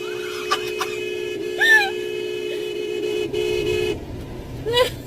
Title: car honk gets stuck and can't stop making noise #baddriver #baddrivers #dascam